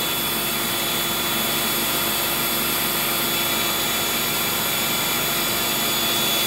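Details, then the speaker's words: Eureka 402 Superlite 2-amp vacuum: loud steady high whir of suction motor, seeming to spin faster with the carpet brushroll motor on; normal running. "well that's unusual because i actually did get a higher score with the brushroll on but just judging by the pitch of the machine it also sounds like that uh suction motor might be spinning a little bit faster when the carpet motors activated"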